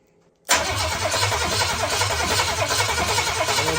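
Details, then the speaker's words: Oldsmobile 400 G big block, HEI ignition disconnected, fuel line into a gas can, cranking to test the fuel pump: a steady, even cranking rhythm with no firing. The engine turns over normally and the pump delivers fuel. "Let's just crank it and make sure we have a good operating fuel pump here."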